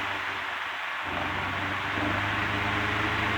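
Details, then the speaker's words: Antique Emerson 16-inch desk fan, type 73648, after fitting correct head wires and sorting speed control, dropping from high to medium: steady airy whoosh with soft motor hum settling lower as speed drops, then smooth and even; healthy. "this thing is a turbine i'll put on low you're going to hear a lot of noise so just be aware of that look how fast that thing spins"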